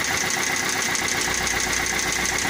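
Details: Geely MK 1.6 engine at idle: rapid, regular metallic tapping over a steady idle, an engine knock; a connecting rod is suspected, not confirmed.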